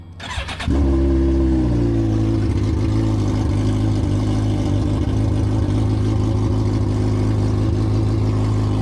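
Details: Suzuki GSX-R1000 after full rebuild and manual cleaning of all fuel injectors: starter whirrs, engine catches at once with a short rev, then settles into a steady, even idle with no knocks. Healthy engine.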